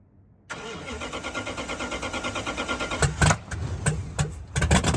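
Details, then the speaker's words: Dodge Challenger revived after 35 years, after replacing fouled spark plugs and fixing a vacuum hose on an engine that ran rich: catches quickly and idles with an even lope, no misfire. Normal start and idle. "ed itself and it idles so much better now so i'm excited to really hear uh what this thing sounds like"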